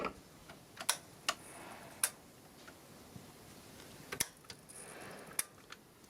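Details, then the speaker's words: Power supply chirps faintly, high frequency for the first second then lower as it dims; located near the switching section, owner suspects the X6768 quasi-resonant switching regulator IC, not confirmed. "chirps slightly, and when it starts dimming, it chirps at a lower frequency. It chirps at a high frequency the first second, then it starts chirping at a lower frequency."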